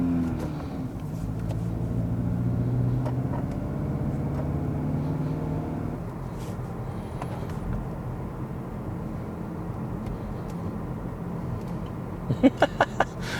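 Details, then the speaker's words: Passenger-side wheel on a road test after a failed wheel bearing was replaced and the axle bolt torqued. Only low road and engine rumble, with no rhythmic whomp rising with speed; the bearing now sounds quiet. "do not hear a damn thing out of the passenger side wheel I think that's going to be a success"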